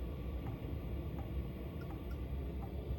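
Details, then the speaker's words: Chevy Express camper van diesel heater at target temperature, throttled back to low output: soft, steady fan hush with faint, sparse fuel-pump ticks while still blowing some warm air; normal low-output maintenance running. "Now this is, you can hear it's barely blowing and the pump is just barely clicking."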